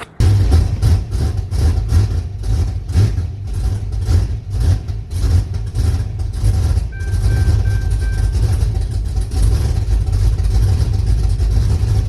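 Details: Refreshed engine in a turbo build, first start after powering the previously unpowered fuel pump: rhythmic cranking settles into a steady, deep, even idle. The throttle is held by hand and the AFR sensor is unplugged, so the Holley can't learn; idle may be set too low.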